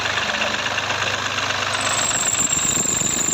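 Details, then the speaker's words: 2020 Mahindra Bolero Power Plus just started after fuel control unit replacement; harsh hissy rattle with thin high squeal from worn fan belt and water pump belt, both needing replacement. "বেলটোৰ বহুত আৱাজ কৰি আছে কাৰণ এটা ফেন bell দুইডালে change কৰিব লগা আছে"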